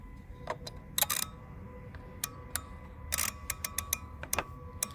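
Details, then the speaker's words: 2006 Dodge Stratus 2.4 no-crank, already fitted with new PCM and starter: after cycling key, a relay chatters with uneven dry clicks instead of pulling in cleanly; test light shows faint pulsing control side. "oh you can hear it clicking guys did you hear it clicking so it's this one clicking right here this one"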